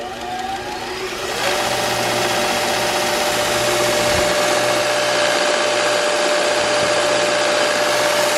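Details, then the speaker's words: New Jet 2x42 belt sander first power-up: motor spins up in about a second to a steady whirring hum with a light buzzy rattle, caused by the miter gauge vibrating. "that vibration is the miter gauge there I already figured that out"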